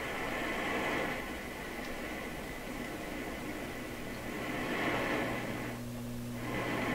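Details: Loewe Opta Type 5966 set switched on after the power supply filter capacitors were replaced, with the speaker connected. A quiet, steady low hum with faint hiss persists; cause not yet found. Mains hum.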